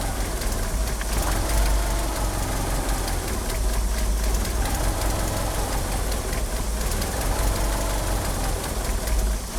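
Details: Car fitted with oversized 850cc injectors, at idle: a lumpy idle whose low rumble wanders and stumbles, with a slipping power steering pump belt. The car won't rev up. The injectors are upsetting the fuelling, giving a rough idle.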